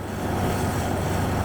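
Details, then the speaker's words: 1993 Ford Ranger after fixing a rough idle (replaced parts, new injector O-rings for leaking injectors): steady, even idle with smooth low hum, no misses, knocks or surges. "probably the best running vehicle I have right now"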